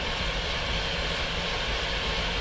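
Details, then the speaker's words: 1999 GMC Suburban 1500 4WD with an intermittent no-start for months: the starter cranks steadily without firing. There is no check engine light at key on and no scanner communication, traced to lost ECM power from a loose ECM fuse terminal. "so it will not start so let's go in and see can we read codes and we have no communication"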